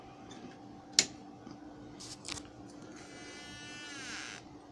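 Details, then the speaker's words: Westinghouse 37" digital TV model 3710 at power-on: click, then hum and rising buzzy whine, sometimes shuts off at high volume; bulging 450V 100uF power-supply filter capacitor, replaced with 500V 100uF. "as I was looking at the TV I ran into this capacitor as you can see it's a little bit bold on the end it's supposed to be flat so I'm gonna change that capacitor"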